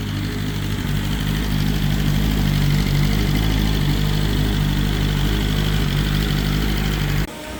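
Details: BMW S1000RR first start after the oil plug came out and oil went everywhere: strong, even idle with steady rapid pulse, no knocks or rattles; engine running healthy.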